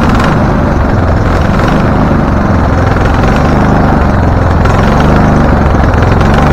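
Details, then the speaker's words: Husqvarna LTH 1438 riding mower, 13.5 engine, reported to backfire through carb and exhaust, first start, choke not closed: loud ragged low chugging with stumbling firing and the odd pop; rough running. Shop suspected a loose cam gear changing timing, unconfirmed. "doesn't seem to be doing anything okay so it is running it doesn't like the idea but it's running"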